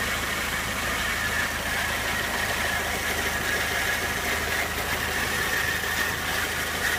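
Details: 2001 Peugeot 206 1.6 16V at idle: thin, wavering high whine over a rough rattly texture. Owner guesses the clutch; cause unconfirmed.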